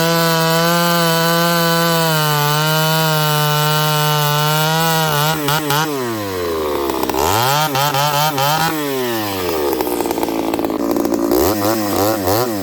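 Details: Ported Homelite 922 chainsaw after clutch and fuel line repair and cooler heat-range plug, cutting very hard wood: crisp high two-stroke scream pulling down under the cut and recovering cleanly without sputter; healthy cutting.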